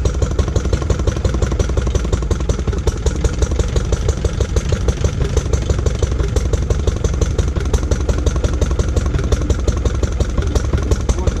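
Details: Lister D petrol single-cylinder barn find, first start in 20+ years after restoration: sharp firing near 170 a minute, jumpy and irregular, hunting at idle. Owner suspects too much timing advance and settings needing adjustment; uneven running.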